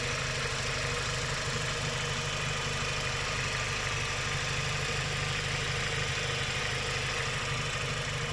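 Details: Renault Logan K4M engine at idle, with light, fast ticking of about three taps a second over an even idle. The hydraulic lifters are tapping; the tapping is cured with an oil additive.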